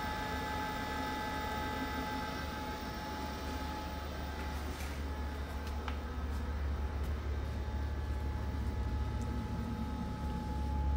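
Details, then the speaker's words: LG washer-dryer showing dHE (no heat) error, timed dry cycle just started: steady even blower whir with constant hum, no rattles or scraping; blower running normally. "You can hear the noise. This blower already start."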